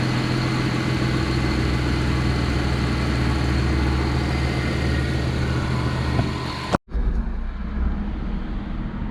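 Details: Vehicle that stalled on the roadside that morning, restarted and left warming for several minutes; coolant reservoir found full. Smooth, steady low idle with no stumbling, surging or dying; normal idle.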